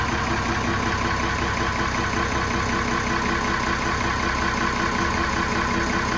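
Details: Inboard boat engine just started with the gear disengaged: steady, even idle with a regular low chug and no knocks or misses. Sounds healthy once settled.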